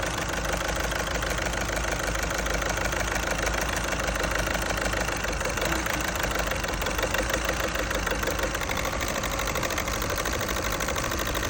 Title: Fault finding diesel injector misfire injectors or faulty cylinder? #garage #repair #cars #tools